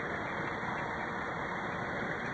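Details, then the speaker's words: Central air conditioner condenser unit that was not cooling, after replacing the failed start capacitor: steady rush of fan air over a low compressor hum, no rattles, clicks or surging; fan and compressor running normally. "You can hear the compressor and the fan. That's something you need to learn if you don't know the sound. There's 2 distinct sounds. There's the sound of the compressor running and then the sound of the fan running."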